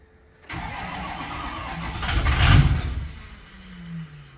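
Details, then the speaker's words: 6.0 Powerstroke diesel auction truck on weak batteries with charger on: slow, labouring crank that swells briefly but never catches, because low-pressure oil has not built yet. Crank no-start from no oil pressure. "all right battery charges on let's try this again you'll notice we haven't built low pressure oil yet that's what we're struggling with"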